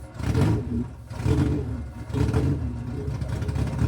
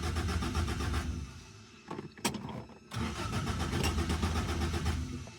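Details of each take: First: Rebuilt Toyota 4AGE in a 1975 Corolla KE35, no exhaust fitted, timing off, won't hold idle: three quick throttle blips rise and fall cleanly over a loud open-manifold bark; revs freely and sounds healthy, just loud. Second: Rebuilt Toyota 4AGE in a 1975 Corolla KE35, first startup: starter cranks and the engine catches roughly, stumbling and dying, with a fuel smell; hard start from fuel feed and return lines fitted the wrong way round.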